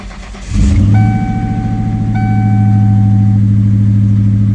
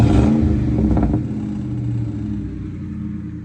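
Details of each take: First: 1996–98 Mustang GT V8, cold and waiting to warm up, with the check engine light on, before replacing the plug wires and coil pack: it starts and idles with an uneven, stumbling lope from a cylinder misfire. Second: 1996–1998 Mustang GT V8 after installing Dragon Fire coil packs and 10 mm plug wires. Engine blips up and settles to an even, steady idle rumble with no stumble: misfire gone, throttle very responsive.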